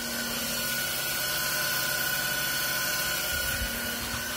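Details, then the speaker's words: Haas TM1 spindle after belt replacement, warm-up at 2,000 rpm: steady mid-high whine over an even hum with no fan rush. The cooling fan isn't running, owner suspects wiring; belt tension is also in question. "Does sound a bit whiny. I realised one of the reasons it sounded different is because the fan isn't running."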